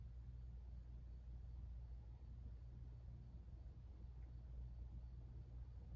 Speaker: starting off with low this fan does start up pretty quickly has a little bit of a hum to it it's very quiet though you can barely hear it